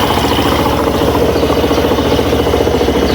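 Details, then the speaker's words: Suzuki Burgman Street scooter at idle after a CVT drive-side fix, warming to two bars on the temperature gauge. A steady, even idle with a soft pulse; the previous drive-side noise is gone and the sound is normal. "So ayan yan. Hindi na po umiingay mga bossing. Nasa bali yung ingay niya is normal na lang po mga boss."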